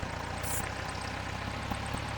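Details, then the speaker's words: Air-cooled VW engine at idle after throttle: the idle dips, stumbles and recovers repeatedly; a vacuum leak at the intake manifold boot is confirmed with a starter fluid test. "All right, there's our vacuum weight right there. Crashing and burning. We're coming back up. We're going to crash and burn again."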